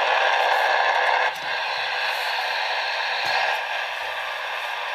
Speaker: this one doesn't have passes that just charge slowly though now with the battery out it's not quite as bad but you can still hear it um and then of course when you put the battery in goes wild that's a big source of noise